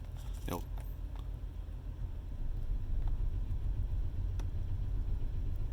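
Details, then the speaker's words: Truck APU small diesel cranked with the truck engine off: low, uneven churning as the starter turns it, never firing; owner unsure whether the fuel pump is out or something else, going back to the shop. "button yeah it's just it's turning over but i mean it's got to be giving it fuel while i'm doing this right yeah i'm not gonna crank it anymore it's uh it's just it's not happening"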